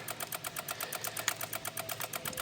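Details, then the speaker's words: 2016 Honda HR-V no crank no start, brake on: rapid, thin even relay clicking about eight per second with no engine running; settled by moving an engine harness; attributed to a missing engine ground. "I figured the car wasn't going to start originally. And here we go. You know, brake on. And the car is going nuts."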